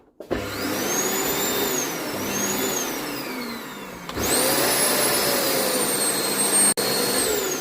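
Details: Arçelik vacuum cleaner after power switch repair, now turning on and off properly: steady, even motor whir with a smooth high-pitched hum holding speed; runs normally.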